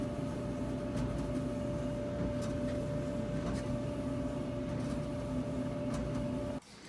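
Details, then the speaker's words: Whirlpool Duet front-load dryer GW9250SU0 test run after the roller wheels and pulley were cleaned for a squeak: steady drum rumble with a smooth hum and faint soft taps, no squeal or scraping. Normal operation after repair. "all right guys as you can see we just finished testing it and it did not squeak at all"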